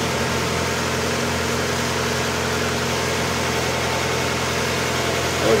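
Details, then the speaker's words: 1992 Mazda Miata 1.6 L after timing belt, idlers and water pump replacement with new oil and filter: brief noisy lifters at startup clearing within seconds, then smooth, even idle with no ticking. "so I had a little bit of noisy lifter at the beginning and of course within a couple of seconds all that new oil went right through pressurize the system"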